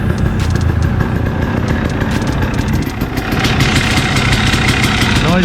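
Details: 2017 KTM 300 XCW two-stroke dirt bike idling after a top-end rebuild to fix piston slap at 54 hours: steady, uneven burble with no knock coming through, on first start before reaching operating temperature.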